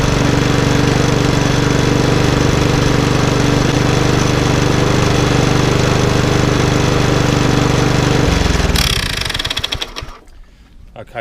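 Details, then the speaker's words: Lawnmower with RV 150 engine and Briggs airbox, reassembled and fuelled: even, steady single-cylinder beat with no misses for about eight seconds, then winds down and stops; runs healthy, working as it should. "okay so long one number five is now up and running and working exactly how it should be"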